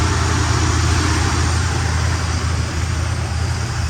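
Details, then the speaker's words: 1972 Buick Skylark left running to warm up after the carb was primed with gas: deep, steady idle with an even low rumble and no knocks, misses or ticks; healthy. "Well, she sounds pretty good, nice and healthy."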